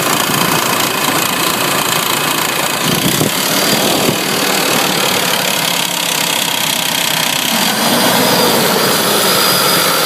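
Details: 1994 Honda Passport petrol engine idling with a light, fairly quick, uneven ticking over the hiss; owner suspects the timing belt tensioner, not confirmed.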